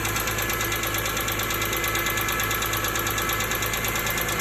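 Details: 2005 BMW E46 M3 at idle: sharp, regular tick about three per second over the engine hum, starting the day after hard driving. Dealership blames a pitted exhaust-side rocker arm; another mechanic suspects rod bearings. Cause unconfirmed.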